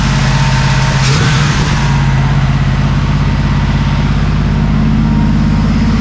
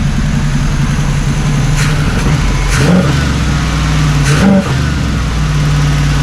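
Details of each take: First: 1979 Camaro Z28 carbureted V8 after carburetor rebuild, return line cut: after a quick rev it holds a fast, busy idle that needs turning down. Idle speed set too high. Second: 1979 Camaro Z28 Quadrajet-carbureted V8, tuned up and warmed, running on all 8, vacuum leaks fixed, idle still slightly high: deep, steady roar swelling as the throttle opens, no misfire or stumble. Normal revving.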